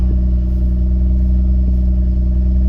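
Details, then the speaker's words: 1996 BMW E36 328i idling just after new MAF sensor installed, battery reconnected: steady, even low hum with no stumble or misfire, running much better with the new MAF; normal idle. "So I think it's running better now with the new MAF."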